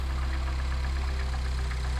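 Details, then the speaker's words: 2009 Mini Cooper S first start after head gasket, timing, intake and turbo rebuild, cold start, idle held: deep steady idle with faint uneven pulsing; owner suspects disconnected or faulty mass air flow sensor. "Oh gosh, I keep forgetting about this. Hold on. Probably not running the best because of this."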